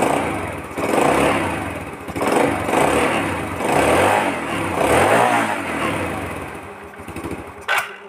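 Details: Vega R New single-cylinder motorcycle that would not start despite good compression; after cleaning it catches and runs, revving in uneven blips before dropping off. Now running normally again.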